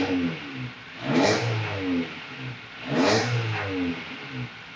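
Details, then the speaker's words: Honda EF Civic after repairs including a replacement intermediate shaft: two clean throttle blips about two seconds apart, rising and falling smoothly with no knock, miss or rattle; running good now. "She running good now."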